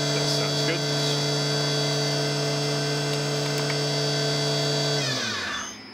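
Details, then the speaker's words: Tree Journeyman 325 CNC mill spindle at 3500 RPM after adjusting drive pot to reduce zero-speed creep; clean steady high whine then smooth wind-down, slight residual rotation remains but judged minor: normal spindle run. "yeah still got that very slight rotation speed but I don't think it'll be much of a problem"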